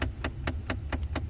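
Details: 2009–2014 Ford F150 blend door actuator, usually passenger side behind the glove box: sharp, evenly spaced ticking, popping and clicking behind the dash, about four a second, while the climate setting changes; failing actuator.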